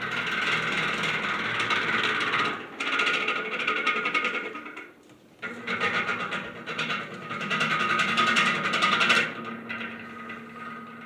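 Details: Heavily worn Patton U2-1479 14-inch floor fan on its first test run: steady whirring motor with a rough, scratchy rattle over it that surges and fades. The bearings are dry and worn and need oil, and the washers likely need replacing.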